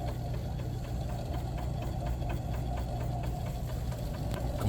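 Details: Leslie 147A speaker cabinet running: faint light ticks, a few per second, over a low steady hum, coming from the lower end; the client complained of scratching and ticking noises, cause not yet found.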